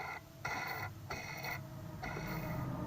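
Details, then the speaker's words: Chainsaw crankshaft bottom bearing spun three times by hand, out of the engine: ringing, gritty whir instead of a silent glide, indicating a worn bearing. "you could tell when the bottom bearings are bad you can hear them listen to this hear that there's a little oil"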